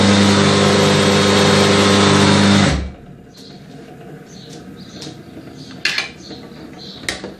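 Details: Very old 1.4 kW electric motor by Allgemeine Maschinenbau-Gesellschaft AG Chemnitz, first startup after 40 years, on a simple Steinmetz circuit: steady even mains hum for about three seconds, then winds down; runs quite well.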